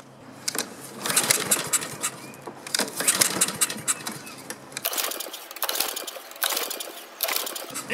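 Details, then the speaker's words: Honda-engined Husqvarna self-propelled mower recoil cranking after fuel shutoff opened and starting fluid tried, dirty air filter; rattly spins with no firing at all. No spark. "still doesn't want to start wow just out of curiosity I'm going to go ahead and check and see if we have spark"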